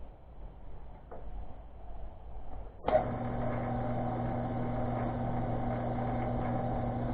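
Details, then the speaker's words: ShopTask 17-20 XMTC lathe/mill: motor spins into steady low hum with faint constant whir, gear faces rubbing in feed train after switching; backing the lever off slightly makes the noise go away. "what i do is when i switch this i back it up just a hair and that noise goes away"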